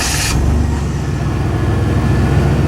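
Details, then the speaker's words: 1991 Chevy S10 with carbureted V6, long-sat project truck that started right up once fuel reached it; steady even low rumble, no knocks or misses, sounds solid but needs a tune-up; normal idle. "i mean it sounds solid just needs to tune up"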